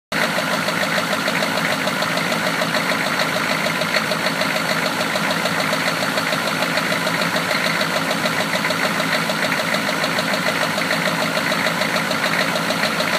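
Steady idle with a sharp, regular knocking riding over it, about three raps a second, deep in the block: classic rod knock.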